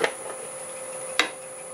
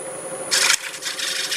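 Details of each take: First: Tool chatter: harsh rasping and a steady ~1 kHz squeal as a freshly sharpened negative rake scraper cuts the thin, unsupported curved wall of a Jarran and basswood bowl from a board on the lathe. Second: Bowl-from-a-board (Jarran and bass wood) on the lathe, thin wall supported with melamine, glue spot cleaned up with a freshly resharpened negative rake scraper: even, hissy scraping over a low lathe hum, running decently after earlier squealing.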